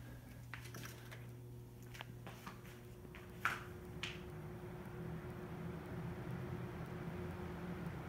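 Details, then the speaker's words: Box fan on low speed, used as a noise comparison for a Pioneer 12000 BTU mini split: a few switch clicks, then a soft airy whoosh builds and holds steady. Normal fan operation on low. "that's on the low speed you can hear i'm sure you can hear that but that's low speed on a box fan"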